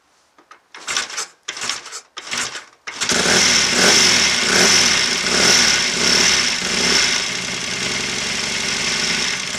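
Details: Royal Enfield 750 Interceptor MK1 after a several-year lay-up, early-sparking electronic ignition and a banjo oil leak from an unsoldered pipe now fixed: a few kicks, then it fires and holds an even, crisp twin beat through blips; healthy runner.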